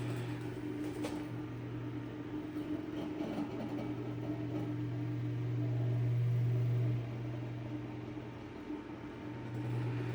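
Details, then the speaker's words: Eskimo electric fan under repair, with a badge needing correction and a weak spin: a steady low motor hum with a light, fairly regular tick about four times a second, like rubbing. A loose screw or part is suspected, not confirmed. "Let's see if is this screw loose, or what's making that? What's loose about it? Sounds like something's loose in there."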